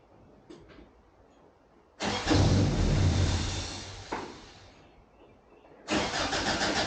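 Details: 1988 Toyota Pickup (Hilux), off the road about five years, new fuel pump and fuel lines just installed but pump left unplugged: starter spins engine at a steady chug about two and a half turns a second, twice, never catches; no fuel delivery.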